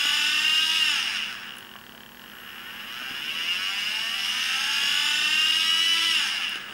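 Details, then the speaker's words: New, never-used Turnigy SK3 brushless motor on fan drive, no-load test: whine sags and climbs slowly, never reaching expected 15-20,000 rpm, slow to respond, can getting very hot; lacking power, motor or speed controller suspected. "they should be doing the same sort of speed and you can see you can hear that it's not and a thing to note is that the motor can is getting very very hot even just running no loads and apparently no power and very slow to react"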